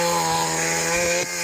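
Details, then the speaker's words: Small tiller engine after a DIY replacement of a shattered piston, high- and low-speed carb screws adjusted, working under load: steady, even buzzing drone that holds pitch with no misses or surging; running cleanly. "this thing's really moving"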